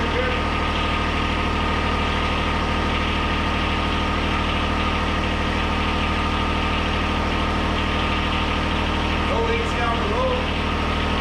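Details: 2013 John Deere 1023E tractor, 154 hours, 21.5 hp Yanmar three-cylinder diesel, run after an oil change to check for leaks: even diesel clatter at a steady idle, regular beat with no misses or knocks; running smoothly.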